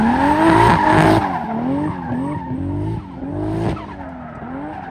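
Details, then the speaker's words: 2JZ-swapped BMW E36 at a drift day: engine note stumbles and drops out unevenly under load over screeching tyres; misfire, log shows AFR jumping, ran very rich after many changes since tuning, owner suspects it needs a retune. "As you can hear, it's still running pretty bad. I looked at the log and it looks like the AFR is jumping all over the place and stuff."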